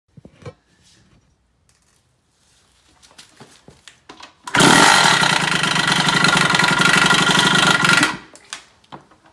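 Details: 2007 Kawasaki KX65 two-stroke with bad engine noises: brief high-pitched rev with a rapid, even knocking about four times a second riding over the engine; engine knock, source unclear.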